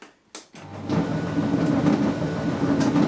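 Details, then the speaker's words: Beko tumble dryer: after a couple of clicks it starts with a loud, heavy, steady rumble as the drum turns, vibrating badly; worn support rollers (guide wheels) are suspected and replaced. "It's actually gone very noisy and it's making a rumbling noise, which obviously isn't right."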